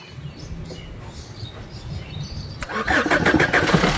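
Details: Maruti Suzuki Swift Dzire after a no-start with only starter tuk-tuk clicking, traced to no main power, with an extra wire run: quiet, then engine catches and fires into a lively, uneven run; starts properly.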